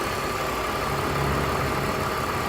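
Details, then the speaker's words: 2002 BMW 320i at idle after an oil and filter change: a constant high whirr rides over the engine. Some spinning component is whirring; source not pinned down. "And there's something whirring away. You can hear that whirring away."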